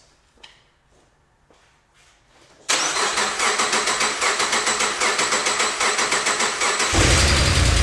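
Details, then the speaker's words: 2006 Subaru Outback 3.0 EZ30, code P0304, after a coil pack swap: it cranks, catches, then idles with a rough, uneven chuff about three times a second. Cylinder 4 misfire from valve spring retaining clips that came off. "As you can hear, the engine is still as sick as it was."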